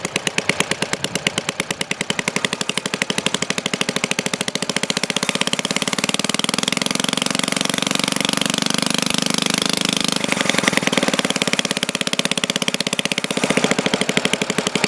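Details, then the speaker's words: Restored 1952 Briggs & Stratton 5S hand-lever-start engine, first runs after rebuild with original components. Rapid, even single-cylinder bark holding speed under heavy load, no misses or knocks, slight smoke as rings seat in; normal running under load. "Yeah, under high power like that, that's the rings working themselves in. So you're going to get a little smoke."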